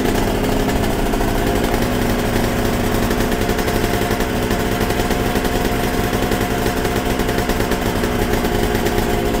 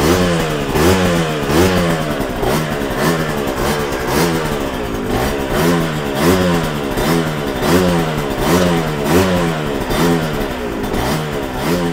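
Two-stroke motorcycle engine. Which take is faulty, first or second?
second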